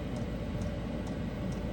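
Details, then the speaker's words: Diesel forced-air parking heater running on low in an RV: steady low rumble with a faint regular tick about twice a second from the small fuel pump, even and unbroken; heater running normally. "I only have so much brain power. Here's what it sounds running at low speed."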